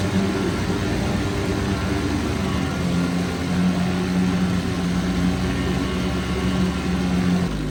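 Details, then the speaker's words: 1972 Evinrude 4 hp Lightwin outboard, probably not run for a month, started in a test barrel at about 30 degrees with the proper oil mix, runs with a steady, even drone and low hum, no misses, knocks or surging: a very good runner before the gas is shut off. "This one's also a very good runner, and I'm going to shut the gas off now."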